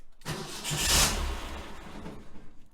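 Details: 1966 VW Type 3 Fastback, 6-volt system, after installing a hard start relay kit and reconnecting a starter wire that had come off: brief crank, fires at once, settles into steady idle.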